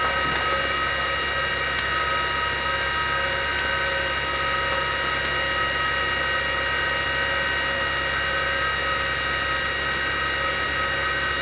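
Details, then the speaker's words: Former military Carter rotary converter, likely from the 1960s, test-running unloaded at about 160 V. A steady high whine with a gritty hiss: the shielded bearings are worn and noisy, with the lubricant likely dried out. The bearings and carbon brushes need replacement. "i'm not sure how well you can hear it but the bearings are noisy and that's the issue with this with this thing back in the 60s shielded bearings were filled with mineral lubricant"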